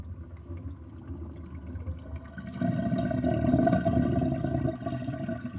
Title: Interesting kitchen sinkdrain with sinkplug 50.5 mm and gurgling sound